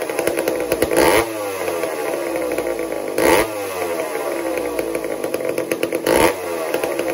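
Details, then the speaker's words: Old McCulloch 1-10 chainsaw, a two-stroke not run for a long time, while the idle is being tuned: buzzy running with a throttle blip every two to three seconds as it settles into a clean, normal idle; earlier a spark-stealing fault was cleaned out. "watch what happens as I tuned this and bring it and settle it into its place where it'll idle and do normally"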